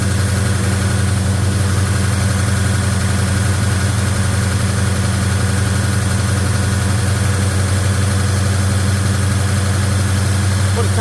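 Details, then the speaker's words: Chevy 307 V8 hot-rod engine with a new Holley 4150 double pumper, in a 1956 Chevy Bel Air, first start, valve covers refitted: fast idle with a steady busy ticking and rough clatter on top; valve train noisy. "That valve train is still noisy for my liking."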